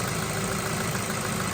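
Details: Ford Focus with a head gasket leak, after Steel Seal, warm after a four-mile run with little pressure at the cap: smooth steady idle with an even low hum and no misses, knocks or rattles; normal idle.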